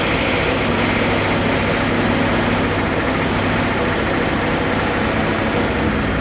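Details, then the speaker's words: 1979 Pontiac Trans Am V8 barn find, stored since 1995, running with 50 psi oil pressure: loud lumpy run with a recurring gap in the firing rhythm; one cylinder dead, not firing. "I can still tell that there's a dead hole in this engine somewhere"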